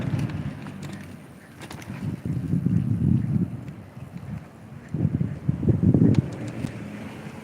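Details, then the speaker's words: Electric bike while riding in wind: low honking, grinding quack-like bursts come and go every few seconds, half buried in wind noise; cause not yet found, brakes also squeak and need adjustment. "My bike's making a lot of noise today. Sounds like a duck when I"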